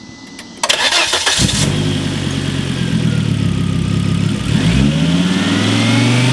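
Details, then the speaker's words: Turbo Volvo S60 (big turbo upgrade) after plugging the mass airflow sensor back in: cranks, catches quickly, steady idle, revs cleanly; before, the vacuum leak/unplugged MAF made it run badly when revved. "it sounded great it sounded like a stage three car does"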